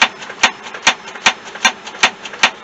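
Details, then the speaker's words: 1973-91 K5 Jimmy/Blazer rear tailgate window, new drive cable fitted, sprayed with WD-40: sharp even clicks about every 0.4 s, no smooth motor run; window binds, creeping up about a centimeter per click. Cause unconfirmed. "each click is going up like a centimeter so i'm um really sure what to do about that"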